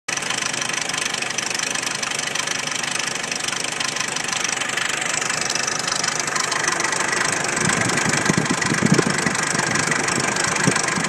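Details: 1993 Jeep Wrangler YJ, stock 2.5L four-cylinder, 245,000 miles, idling with a nasty, rough, uneven knock of three to four raps a second under a hissy top end; owner unsure if valves, piston slap or timing chain tensioner.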